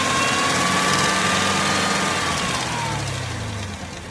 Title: ZL1 Ticking Noise